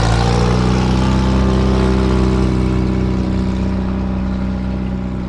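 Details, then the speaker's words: 1973 Volvo 142 SCCA race car, warmed up: a deep, loud exhaust roar holding high revs, then easing off evenly with no misfire or knock; normal revving. "so now this sounds really good yeah looks good so hopefully that gives you a good idea exactly what we have here"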